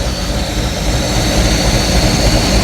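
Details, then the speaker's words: Free project boat revived: steady deep rumble with constant whine, smooth even idle, no knocks or misses; smoking from oil dumped in cylinders to free them, alternator belt flopping and slipping, oil pressure good, not yet warm. "Smoking way over there. It's running really good."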